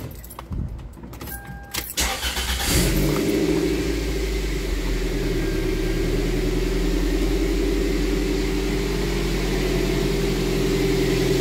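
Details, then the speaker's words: Toyota MR2 Spyder after a 1ZZ engine swap that replaced a rod-knocking engine: petrol engine cranks, catches and settles into a steady, even idle with no rod knock. "so let me start it up for you guys so you can see how it sounds no more rod knock which is good"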